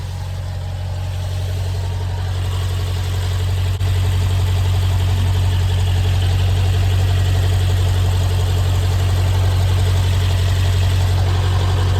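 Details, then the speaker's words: BMW X5M at idle after filter bypass valve replacement: low steady even idle with a common vacuum pump sound, idle then dropping; no knocks or ticks, engine sounds healthy. "That's a very common vacuum pump sound. All right, the idle has dropped. Everything sounds good."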